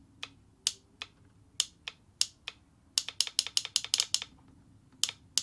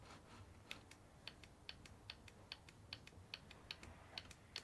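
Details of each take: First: Vauxhall Corsa D 1.4 petrol EVAP purge valve, engine off, fed directly from the battery: sharp dry clicks in fast uneven bursts, very loud; noisy purge valve causing the common tick, replaced with a Bosch 0 280 142 486. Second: New Bosch 0 280 142 486 evap purge valve for a Vauxhall Corsa D 1.4 petrol, tapped on and off on the bench: faint, crisp ticks a couple of times a second, normal purge solenoid operation.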